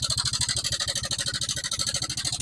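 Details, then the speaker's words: Honda Vario 125 scooter brought in sounding very rough; fast, even metallic clatter of about eleven ticks a second over the idle, like a sewing machine or typewriter. "tapi yang ngeri kalau dipakai motornya ngeri sekali kayak motor mau meledak gitu ya Suaranya kayak mesin mesin jahit mesin ketik ini"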